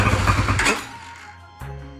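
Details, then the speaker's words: New Hawk 250 (BD 250) dual-sport motorcycle, fuel-injected 6-speed, first start after fuelling: catches with a brief rough burst, fades within a second, starter whirs again; fires but won't keep running. "fired up and then died. There you go. Well, died again. That's not good."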